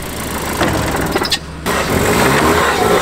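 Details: Saab engine after it tried to stall while driving and was called blown up: catches and revs unevenly with a rough, ragged note; sounds damaged, though a bystander says it doesn't sound broken. Cause not confirmed.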